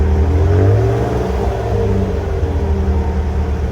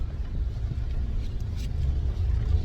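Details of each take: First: 2008 Toyota Tacoma with a cheap muffler before replacement with a Walker Quiet Flow stainless muffler; deep, loud low exhaust drone at idle and revs, audible in the cabin; loud exhaust drone, muffler considered restrictive. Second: 2008 Toyota Tacoma pulling away with a newly installed Walker Quiet Flow stainless muffler: deep, even low rumble, no rasp, drone or rattle. Quiet, healthy exhaust, a big difference from the previous muffler.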